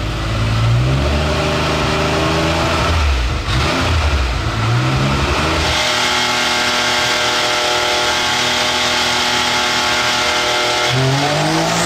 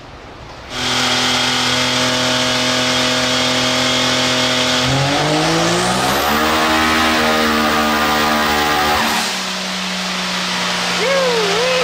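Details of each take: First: Turbocharged X3 side-by-side on a dyno, boost crack pressure cut back from 16 to 12 over a suspected leak: a strong, clean full-throttle pull with no flutter or hiss, reading about 41–43 pounds; it sounds better, and the crew notes it was also idling rich. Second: Turbocharged X3 side-by-side on a dyno with crack pressure raised about three pounds: revs climb hard under boost, then the note briefly stutters and flutters and drops off; boost is leaking at the intake manifold.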